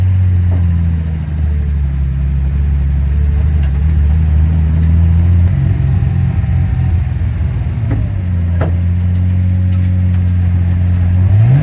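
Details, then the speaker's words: Infiniti G35 drift car, turbocharged, boost regulator screwed fully in: engine pulls hard, then stutters choppily midway before recovering; boost cut triggering after reaching about 1.2 bar. "Filtre anti-bruit activé, j'ai plus évier une coupure, mais vu que Jessie m'a vissé mon régulateur de pression turbo à fond, j'ai le boost cut qui s'active."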